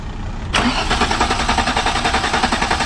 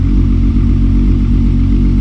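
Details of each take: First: VW MK4 R32 (VR6) won't start after clutch replacement, fuel pump running: starter cranks steadily and somewhat slowly, low cranking power, for over three seconds without catching. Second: Modified VW Golf Mk4 R32 VR6 with 2.5-inch Magnaflow exhaust and dual rear pipes: loud, deep, even burble with strong low rumble and clean throttle response.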